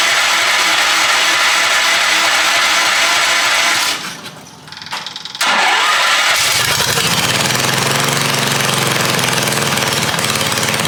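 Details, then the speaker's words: Half-scale NASCAR Mini Cup race car after a new clutch and chain were fitted: very loud, crisp exhaust pops at a fast steady beat through a straight pipe; it drops out briefly, then catches and runs evenly, sounding healthy. "Holy smokes. This thing is so loud. Straight pipe."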